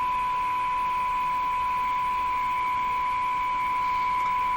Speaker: so I still hear the very same audio wobble there's another sound in here now kind of a higher pitched whiny sound